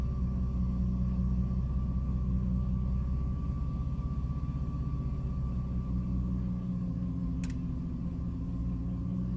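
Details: 2006 Jeep Liberty at idle with A/C off, low rumble pulsing unevenly and sagging partway through before recovering; it randomly stumbles and nearly dies, cause unknown.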